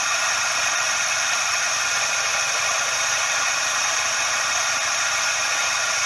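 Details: Suzuki Every DA64V engine: constant dry "shaa/jaa" hiss-like rush with no rhythm, unchanging, from the belt tensioner bearing; confirmed cause is the belt tensioner bearing.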